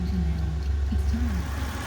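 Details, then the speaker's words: 2000 Toyota Prado 3.4L after replacing a damaged crank reluctor (earlier misfire, no control of ignition coil 1): smooth, even low idle with no misses, no engine light on dash, code gone; running great, normal idle. "the new crank reluctor is on it's all together it's running great there is no engine light on the dash"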